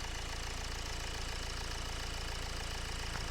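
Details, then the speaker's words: 2011 BMW X1 E84 at 132,000 miles, cold start after replacing crank pulley, serpentine belt, water pump, tensioner and harmonic pulley: even, regular quiet idle with no belt screech or chirp; squeal gone, probably caused by the crank pulley. "in fact actually why don't we start her up and then I can show you how quiet she is so this is a cold stop"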